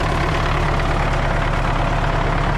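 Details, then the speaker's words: MTZ-80 tractor, D-240 diesel, after valve clearances were reset to factory spec, cold winter weather, started with a booster after the battery master switch wasn't fully on: deep, steady idle with an even beat and no tappet clatter. "Ну, сейчас работа уже ровненько, не торохтить"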